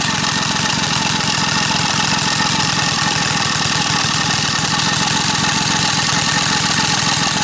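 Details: Small single-cylinder gas engine staked down outdoors, run with sugar in the fuel tank: rapid, even exhaust popping at steady speed with no stumbling; running normally.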